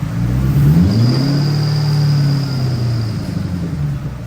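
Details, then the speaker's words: SN95 Mustang with Coyote V8 swap and Holley Terminator X, idling: a thin, steady high squeal sits faintly above the smooth V8 idle, heard for the first time since start-up. Owner suspects a squeaking pulley or rubbing belt and plans to remove the front accessory drive. "This is the first time I've heard this noise. It sound like either a pulley is squeaking or um actually almost smell like um a belt is rubbing."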